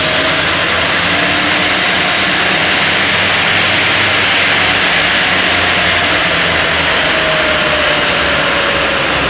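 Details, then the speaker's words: 2007 Mercedes R63 AMG, 6.2-liter naturally aspirated DOHC V8 (M156), about 111,000 miles, on a dyno at wide-open throttle in fifth gear: steady hard-pulling roar at about 160 mph, no knocks or shudder; felt rock-solid after tuning gains. "this thing felt rock-solid at 160 miles an hour"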